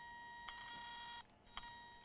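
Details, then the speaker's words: External Toshiba hard drive that spins but is not detected: steady high beep with sharp spaced clicks at power-up, read head failing; board swap with donor drive planned to test. "Wow. We hear a clicking sound. And beeps."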